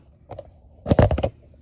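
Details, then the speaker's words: 2009 BMW 328xi front left rearward (boomerang) control arm worked by hand after removal: hollow dull clunks in quick bursts from completely broken bushing, which causes clunking when braking; being replaced. "The bushing is broken. So that's the reason why we're gonna change that out. Bush is completely shot."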